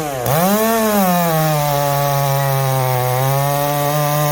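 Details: Chainsaw just fired up and tuned after reassembly with a tight fit: dips as it bites into wood, then holds a clean, even high-pitched buzz through the cut; tuned right up and runs healthy.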